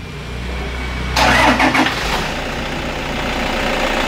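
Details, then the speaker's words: Toyota Kijang Innova 2KD diesel running on biosolar (biodiesel), hood open: cranks about a second, catches cleanly and settles into an even, steady idle with no knocks or misses; normal start and idle, no leaks or seepage. "Oke, ini getarannya ya teman-teman. Ini mesin mobil normal ya, tidak ada kendala, tidak ada rembes."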